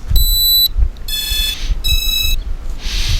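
A short high chirp, then two longer multi-tone beeps about a second apart: the quadcopter's normal power-on tones after reconnecting.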